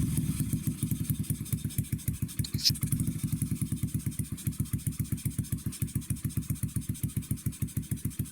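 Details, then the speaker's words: 2009 Skyteam Bad Boy (PBR), 50cc four-stroke single (Honda CT/ST50-type Chinese engine), just started on the first kick, in neutral. Slow, loping putt-putt of about 3–4 beats a second, barely running; idle set too low. "However, she just idling too low, too slowly. So, that's something else."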